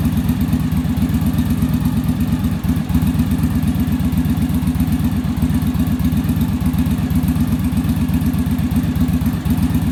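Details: Yamaha Virago V-twin idling after final on-engine carb sync with manometer (following bench sync, rear carb idle stop set); even steady lope about four pulses a second, no stumbles or hunting; idle much smoother, carbs no longer fighting each other.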